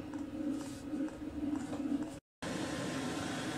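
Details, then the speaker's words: Chinese air heater on a workshop bench, LCD controller set to 35° so it runs at full power for several minutes to burn out soot before shutdown: quiet steady hum and soft roar, no surging or popping; normal high-power burn. "see I've done that just so the machine kicks up to full power again so I can burn out all the crap in the suit before I turn it off"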